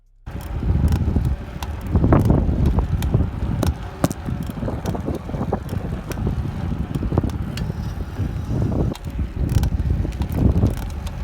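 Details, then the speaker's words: 2018 Cannondale CAADX 105 SE cyclocross bike after about 2000 km: sharp irregular creaks and ticks with each pedal stroke while riding, owner suspects bottom bracket bearings; chain also rubbing. "this is not possible with this bike anymore because it's creaking the hell out of the place"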